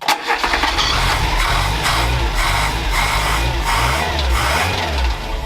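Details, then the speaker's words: Renault 4L with prepared Cléon 1108 cc engine, head just refitted, started with choke off: uneven, lumpy beat with wavering revs; runs rough, carb and rocker valve clearances still to be reset. "voilà elle tourne pas extraordinairement bien mais ça se précise plutôt bien"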